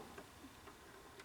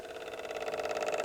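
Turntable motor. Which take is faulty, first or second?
second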